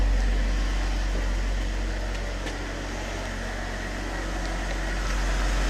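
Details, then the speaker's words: 2014 Jeep Wrangler JK 3.6L Pentastar V6 idling after oil pump replacement (P0520/P06DE, pressure pinned at 99 psi): smooth, even idle, no knocks, no leaks underneath, runs like it always has; gauge still pegged, owner now suspects oil pressure sending unit. "no leaks or anything underneath it's running okay runs like it always has"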